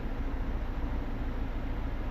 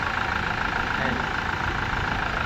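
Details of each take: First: Toyota Fortuner diesel with code P0093, stalling while driving and no acceleration: deep idle with an uneven, lumpy pulse and strong shaking caused by a faulty injector on cylinder 3, before the injectors are tested and cleaned. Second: Toyota Fortuner diesel after fixing code P0093 (stalling while driving, shaking, knocking) with all four injectors replaced and tested: engine now idles evenly with steady low clatter, no shake, misfire or surging; smooth normal idle.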